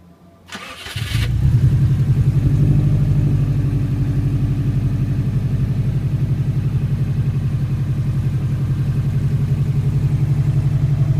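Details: Subaru on cold morning start: brief crank, fast idle with steady low knocking pulse that stops after a few seconds; owner suspects piston slap or belt tensioner, unconfirmed.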